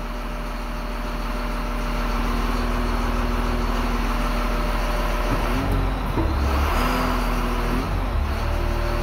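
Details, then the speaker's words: Road grader diesel with an axial piston variable-displacement hydraulic pump and pressure-limiting compensator set at 3375 psi: steady drone deepening and straining as the pump takes load, hydraulic whine rising midway. Normal engine loading when there is both flow and pressure. "when there's pressure and flow those are the two uh values that you multiply together to get hydraulic horsepower so if something's moving under pressure then you hear the engine"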